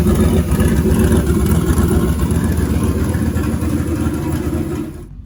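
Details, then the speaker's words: Turbo LS 5.3 V8 in a Dodge Grand Caravan, first fire; deep, loud, even rumble, turbo howls, no knocks or misses, running really well: normal running. "That turbo absolutely howls. I love it. A van should not sound like this. A van should not sound like that at all."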